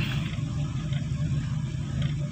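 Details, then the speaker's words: Carbureted Toyota Corolla 16-valve that stalls when releasing the clutch pulling off: low, uneven rumble with irregular exhaust pops, because idle rpm is set too low and the air-fuel mixture is off. "Ah untuk suaranya agak sedikit eh nembak-nembak ya ini dikarenakan karena rpm nya terlalu rendah kemudian percampuran bakal bahan-bahannya kurang normal kurang normal ya temen ya"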